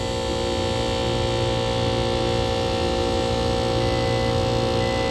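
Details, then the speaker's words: Three-phase HVAC unit: loud, constant rough drone with harsh buzzing, the compressor running but sounding like it's failing. The technician suspects oil breakdown from a dirty condenser and lack of maintenance; not confirmed. "All right. So the compressor is running. It sounds horrible because the oil's probably descending or destroyed inside that compressor because of the dirty condenser."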